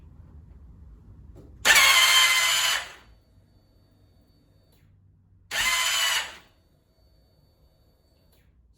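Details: 2001 (K1) Suzuki GSX-R1000 after clutch pack replacement, battery fully charged, hot or cold: two short high-pitched whirring screams about a second each, no cranking; starter spins without engaging engine, idle gear reassembled per manual, same symptom.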